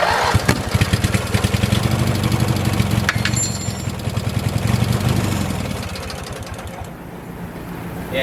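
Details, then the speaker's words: 1986 Murray lawn tractor after carburetor cleaning, no gas added: starter cranks, then the engine catches in uneven, stumbling firing pulses that sag away. It runs only briefly on leftover carb cleaner spray in the intake. "I'm not going to pour any gas in it for now cuz a bunch of that carburetor spray from me cleaning the carburetor is probably already in the intake. So, we're just going to try to crank it and see what it does."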